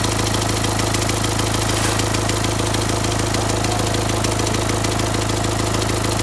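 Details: Renault Symbol one month after a complete engine rebuild, at idle: steady sharp ticking about three times a second over the clatter, strange ticking not yet diagnosed; owner had checked the injectors; engine ticking.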